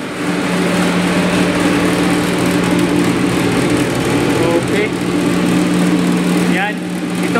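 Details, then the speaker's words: Carrier reefer unit with an EasyCold controller, with an alarm and a suspected bad fuse, at startup with the inside temperature at 36: the evaporator blower hums with a rough scraping rasp, as if catching, then falters and stops. "kanina sobrang ingay talagang parang may sumasabit no tapos Ah humihinto"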